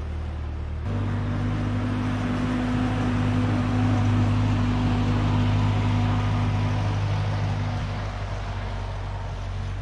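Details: 1946 Ford 2N tractor, flathead four, after head gasket replacement, driving down the road: even, steady drone with regular beat, no knocks or misses. Normal running.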